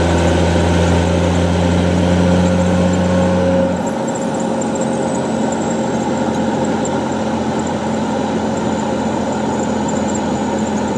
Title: NV5600 making weird noise